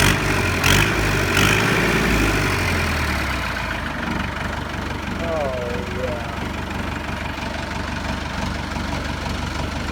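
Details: 1964 Massey Ferguson 65 diesel tractor, revived and bled: cranks, catches and settles into a steady low knocking idle about three beats per second; normal idle.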